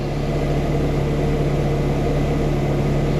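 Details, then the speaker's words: Ferrari after clearing codes and doing left and right Motronic recovery: smooth even idle with steady low hum, no misses, no codes, no blinking check engine light. "read codes, no codes. And it's running great. No, no blinking check engine light."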